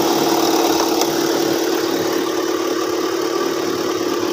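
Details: Car that lost battery charge while driving with no warning light, after new alternator fitted: steady, even idle with smooth hum and no misses, knocks or rattles; running normally, charging now correct.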